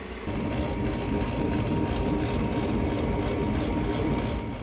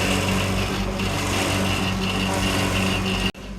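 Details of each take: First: Lennox rooftop unit after replacing the faulty combustion blower motor: smooth, even whir with a steady mid-pitched hum and no rattle, scrape or wobble; the new combustion blower runs normally, much better than the old one. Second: Commercial walk-in refrigeration evaporator fan, complaint of fans tripping breakers, breaker taped on, evaporators falling apart: steady hum with thin whistle fluttering about four times a second, then cutting out; worn, noisy evaporator fan.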